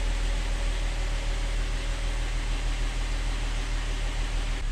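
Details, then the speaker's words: Mercedes E350 3.5 V6 at cold start after rebuild (previously knocking and smoking, scored cylinders; valve stem seals and gaskets replaced): deep, even idle rumble with no knocks or ticks, barely any smoke; normal cold idle. "Sounds pretty freaking good. Also, no smoke."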